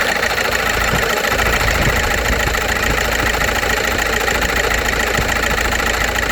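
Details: VW Passat B5.5 1.9 TDI after standing a month without oil, started after oil pan replacement: loud fast steady ticking over diesel idle clatter; revving to 2500-3000 rpm for 10 minutes did not help; source unknown.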